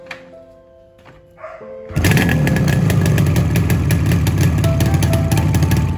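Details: Yamaha RD 350 two-stroke's first kick cold start after rebuild, on adulterated petrol with a pesticide odour: catches into a loud, ragged, uneven crackle with wandering revs and smoke. Owner says it needs tuning; cause suspected, not confirmed.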